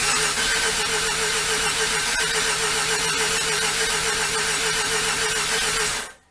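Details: Rotary engine car with new plugs and fresh premix gas: steady, even cranking at about four turns a second, no firing at all, then stops; fuel relay was disconnected and needed reconnecting.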